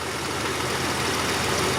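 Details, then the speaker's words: Jeep XJ barn find after oil pump replacement and correcting the wrong-stroke pin setting: it starts and holds a steady, even idle with no knock or tick, with 60 psi oil pressure. "and now it starts it's got 60 pounds of oil pressure thank God"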